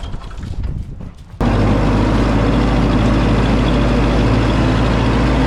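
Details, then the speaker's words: 1952 Ford 8N tractor, gravity-fed fuel, after replacing the carburetor to cure stalling at idle and under load, in neutral: engine catches and settles into a smooth low drone with no misses; later ran 20 minutes without dying. "Just went and ran this for about 20 minutes out in the field. Didn't die on me one time, which the old car it absolutely would have."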